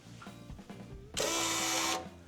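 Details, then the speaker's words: 1999 Victory motorcycle, 9,000 miles, likely unrun since 2011, after fitting an aftermarket fuel pump: a brief steady electric whirr under a second with fuel trickling back through the return line into the tank, then shutoff; the pump primes normally, but the bike won't start. "You can hear the fuel pump, you can hear the return line into the tank, but it's not gonna start."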